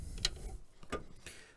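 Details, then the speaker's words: Caterpillar D7 4T dozer engine removed from machine, crank rolled slowly by hand, not running: three sharp isolated knocks from bottom-end looseness; debris in filter screen, thrust washer/bearing suspected, not confirmed; a knocking engine. "look at that this thing's a knock knock motor no matter what you"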